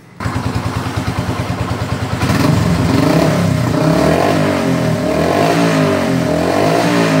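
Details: Motorcycle after carburetor and piston service with oil change: steady thumping idle about three beats per second, then revs cleanly up and down without misfire or rattle; running normally.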